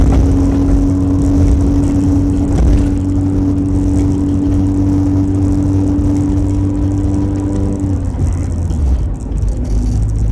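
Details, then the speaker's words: Car, apparently an old Crown Victoria, driving at around 30 mph after hitting debris at about 50 mph on a highway. Loud buzzy exhaust drone under load; owner suspects a leak from behind the wheels, not yet confirmed. "now my car sounds like I flickin put a muffler like a ricer I just did a terrible job it's white where it sounds like it's like is coming from down here right behind the wheels"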